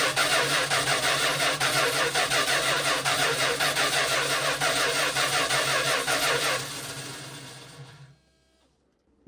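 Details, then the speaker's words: Vintage motorhome engine being converted to modern fuel injection, first start attempt powered by a temporary lead from the battery: steady starter cranking with no firing. It cranks but won't start because fuel pressure is only about 2.5 psi against roughly 50 psi needed. "While I was cranking, I was looking at the gauges up there. Um, major concern, only have 2 and 12 lb of fuel pressure. That's not even enough for a carburetor."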